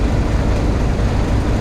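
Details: Customer's truck just started after attempted theft and flat batteries needing a doubled-up boost: deep steady diesel idle with even beat, no knocks or misfires; charging at 28 volts, normal idle.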